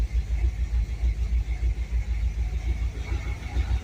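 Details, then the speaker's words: 1966 Dodge Charger V8, not started in a while, just fitted with an electric fuel pump relay: deep steady rumble with even pulsing beat, no misses or knocks, holding idle without throttle; healthy engine. "Heck yeah. Well, she fired up easy."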